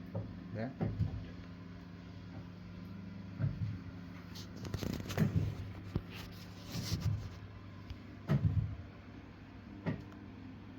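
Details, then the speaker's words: Boiler with flow temperature rising very high, no heating or hot water: low hum broken by irregular heavy bangs; flow pipe hot, return pipe cold; kettling caused by a closed gate valve on the return pipe. "the while ago the temperature was Rising really high and and there was no Heating and no hot water and the boiler it was banging flow pipe was hot WR pipe was cold"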